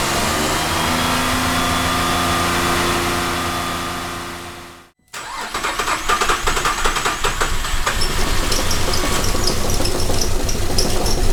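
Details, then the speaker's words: 2008 Cadillac CTS 3.6 L direct-injection V6, six months after timing chain replacement: engine runs rough and uneven, stalls twice and is restarted; bad cam phaser, all four phasers and thrust washer replaced. "here's what a bad cam phaser sounds like on an 08 CTS direct injection 3.6 l"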